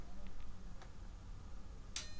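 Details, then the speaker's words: Technics SA-400 amplifier with one channel silent: at power-on, a single sharp click after a couple of seconds as the speaker protection delay relay pulls in normally. "Ha bekapcsolod az erősítődet, pár másodperc után hallasz egy kattanást, és csak ezután szólalnak meg a hangszórók. Mi adja ezt a kattanó hangot? A védelem késleltető áramkörének a reléje."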